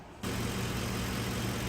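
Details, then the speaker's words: 2010 Ford F-150, 5.4 L 3-valve Triton V8, after replacing the bad cylinder 8 spark plug: steady, even, smooth idle with no stumbles; misfires gone. "so after I change this spark plug on number 8 and number 8 only the misfires are completely gone now the engine is completely smooth"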